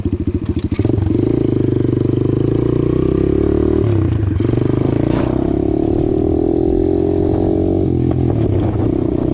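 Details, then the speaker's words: Apollo DBX-18 dirt bike ridden after transmission repair with replacement main and countershaft gears and new gaskets: single-cylinder buzz climbs with throttle, dips briefly at each clean shift, shifts through all gears properly; normal running and gear shifting. "Shifts out through all the gears just like it should."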